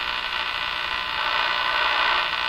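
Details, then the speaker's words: Crosley 43FB farm radio during shortwave band alignment with antenna connected: constant buzzy hiss and hum returns, suspected to come from the antenna, uncertain; buzzing does not occur on AM band. "So, now the buzzing is back. But I think this is from the antenna. Hard to say, for sure."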